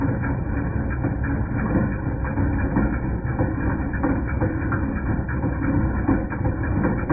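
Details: 2010 Jeep Patriot Sport 2.0 at steady idle: irregular metallic clanks about once a second; not the replaced power steering pump, pulleys, tensioner or belt; alternator replaced and noise went away.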